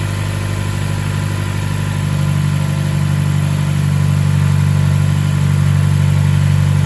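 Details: Mazda BK3P Mazdaspeed Axela, 2.3 L direct-injection turbo L3-VDT engine, after overhaul: steady even idle with smooth low hum, no knocks, ticks or misses; normal idle.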